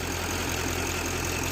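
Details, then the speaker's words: GM LML diesel pickup after AC compressor clutch plate repair: steady, smooth idle with AC on full blast and compressor engaged, blowing cold; no clutch chatter, hiccups or bumps, so the repaired compressor works normally. "Crank the AC up, turn it on full blast. Obviously you guys can't feel the cold air, but already blowing cold."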